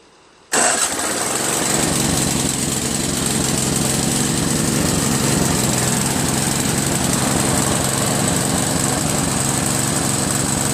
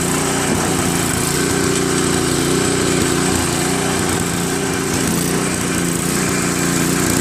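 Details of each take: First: Craftsman 522 snowblower with Tecumseh engine, after tightening the slack auger drive belt with extra turns on the nut: engine settles into a steady, even roar under load, no slipping squeal. Immediate auger engagement, the sound wanted. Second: Craftsman 522 snowblower with Tecumseh engine, sat for years: single-cylinder engine runs steadily, slightly uneven, on heavy choke. It stalls with choke at middle, runs best at 3/4, idles on full run but falters on throttle-up; likely dirty carburetor.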